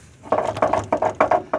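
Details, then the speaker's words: Chrysler Sebring Convertible rear strut with the bottom unbolted: quick hollow metallic clacks, about four a second, as the loose top mount knocks metal on metal because its bushing is gone; it causes a thud over every bump. "the problem must be strut tower stop sorry the top bushing is completely gone out fell off"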